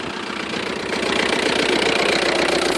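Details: 2000 VW ALH TDI diesel with no power, random misfire and white smoke: rough, uneven idle clatter with irregular knocks three to four per second; owner heard injection pump may be bad; misfire with knock at idle.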